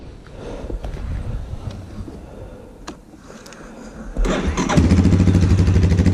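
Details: 2001 Yamaha Warrior 350 single-cylinder ATV, bought without being heard running, first start after carburetor work, stator replacement restoring spark, and an oil refill: it catches straight away and settles into a steady, even idle with no misses. Normal start and idle.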